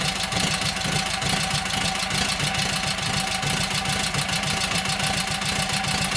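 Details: Kohler KT17, first start after governor rebuild: even, steady idle putter with firm regular pulses, no knocks or misses. Oil pressure 50, governor pulls throttle back, timing sounds good; carburetor high/low needs tweaking, plugs doubtful.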